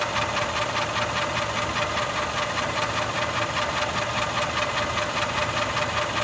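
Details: Mercedes M278 V8 (GL450/CLS550) at idle: a regular knock about two and a half times a second, heard more from the bottom of the engine. Ticking/knocking source still unidentified.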